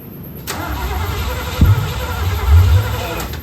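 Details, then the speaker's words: Rebuilt 1972 Corvette C3 small-block V8, first start after rebuild: starter cranks with heavy uneven coughs and pops but never catches; initial ignition timing too far off and engine flooded. "In the end, what was going on was I just didn't have the initial timing close enough to get it to run, and the engine got flooded out"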